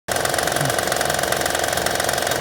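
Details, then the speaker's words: 2009 Honda Pilot 3.5 L V6 at idle with the timing cover off: a dull, uneven knock that the customer feared was a failed bearing. The timing belt tensioner is jumping badly, and restraining it quiets the noise; bad tensioner. "Customer brought it in thinking that the motor was shot because they heard this knocking noise. They took the timing cover off, and you can see the tensioner jumping around real bad."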